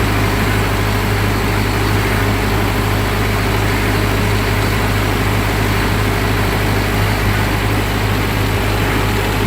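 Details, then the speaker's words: 1945 Ford 2N loader tractor after rewiring, restarted: smooth, even low idle, no misses or knocks; ammeter slowly returning to zero as battery charges, later runs out of gas; normal idle. "We'll just let it run till she quits. All gauge is starting to slowly slowly come back down to zero now as it charges the battery up."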